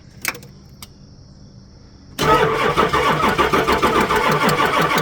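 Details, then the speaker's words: Ambulance camper engine started by jumping across the battery separator with a cable since house batteries were pulled: a few quiet clicks, then fires at once and settles into steady idle; it shut off when the cable was moved. "it. Well, that worked. The cable jumped it. However, as soon as we moved the cable, it shut back off."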